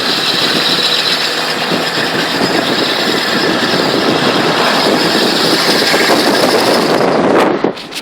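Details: 2000 Jeep XJ with a newly installed 4.5-inch lift, u-joints checked good, SYE not yet installed: after about 30 minutes of driving, a harsh, steady metallic grinding comes from the driveline, only in drive while moving.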